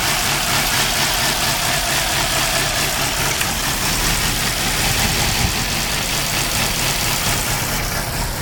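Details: 2002 Nissan Altima with code P0507, after all four ignition coils and spark plugs were replaced: loud, uneven stumbling misfire idle, held around 1,500 rpm, with white then black smoke. Low compression is suspected in cylinder three or four; throttle body cleaning is next.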